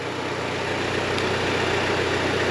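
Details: G23BK-engined turbo car before dyno re-tune: steady idle with a light regular tick on the exhaust beat, present with the fan off; suspected piston slap, still there with cylinder one's ignition wire pulled.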